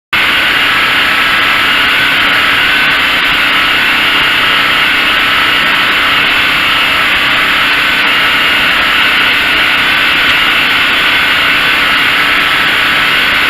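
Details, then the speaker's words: Craftsman (Generac-built) generator test run after replacing the AVR and refitting brushes, checking for full power: loud steady drone with constant hum, no surging or misses, about 60-65 dB; running normally. "runs about 60 65 decibels not a super noisy thing"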